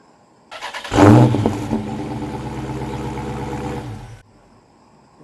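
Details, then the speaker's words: 2015 Dodge Charger Scat Pack started by remote start right after a CR2032 key fob battery replacement: the starter whirrs briefly, then the engine catches with a loud flare and settles into a steady, deep, even idle, a normal healthy start. "I bet now if I hit the remote start, you should actually hear the car start."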